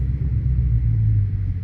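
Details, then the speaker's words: Dodge Charger/Challenger V8 with active exhaust valves wired open to delete a rattle, in auto mode: deep, even low exhaust rumble with no rasps, ticks or rattles; healthy open V8 note. "W y'all can't tell me it don't sound good [Music] hey y'all can't tell me I don't sound good y'all y'all can't tell me that don't sound good y'all"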